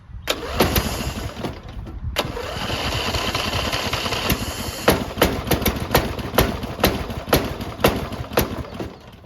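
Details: Briggs and Stratton 14hp riding mower after a starter replacement, cylinder likely flooded from leaving the key on: brisk cranking with sharp irregular pops that never settle into a run. Hard start, cranks but fails to catch.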